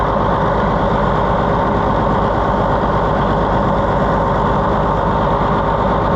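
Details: Allis-Chalmers WD tractor restarted after running out of diesel and running rough, with new copper seals fitted where fuel had been spraying: steady low clatter at idle with an even beat and no stumbling or misfire, running better than before.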